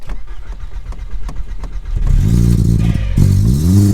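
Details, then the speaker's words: Stolen-recovered Audi A3 built as an S3 replica: rough idle with uneven pulses, then short revs that rise and fall without pulling and no power at all, plus an unidentified engine noise; cause unconfirmed. "there we go there's no power whatsoever that noise i don't know what noise that is so i'm not sure what that noise is"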